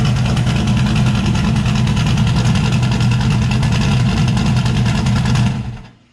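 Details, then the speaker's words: Turbocharged Chevrolet S10 idling after cleaning the driver's-side parts with carburetor cleaner, possibly previously running on five cylinders: even, deep idle with a steady low throb and audible cam, no stumble or skipped beats, then clean shut-off; smooth on all cylinders. "you can hear the cam a lot better since it's not maybe well since it's not running on just five cylinders"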